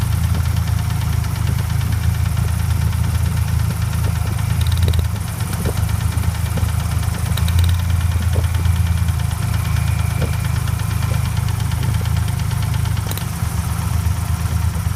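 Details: Ford Ranger 4.0 OHV petrol V6 idling after being hydrolocked, with a deep, heavy bottom-end knock under the steady rumble; a rod knock is suspected but not confirmed.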